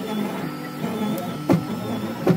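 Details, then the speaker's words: Polaroid PlaySmart 3D printer, left side of bed ends up closer to nozzle after each print: printer hum with two sharp extruder clicks about a second apart as the first layer prints; extruder clicking from nozzle too close to bed. "and there you go clearly the bed levels lost as you can hear the extruder clicking also look at that"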